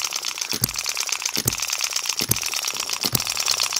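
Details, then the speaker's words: Microcosm M96 2cc model hit-and-miss engine, latch edge moved closer and spring tightened; crisp evenly spaced firing pops about seventy a minute with coasting between, latch barely moving, running slightly faster, healthy. "That is barely moving that latch just barely moving! it's a nice speed that's a little bit faster than it was um I just tightened up the spring a little bit..."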